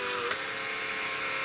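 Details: Model railway loco yard turntable on Tri-ang Super 4 layout, run from a controller, lubricated, Hornby Dublo Class 20 aboard: steady high buzzing whirr from the small motor drive, even and constant; normal turntable drive noise.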